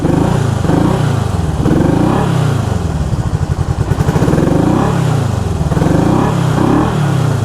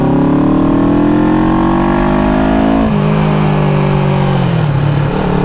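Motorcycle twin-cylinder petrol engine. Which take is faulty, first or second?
first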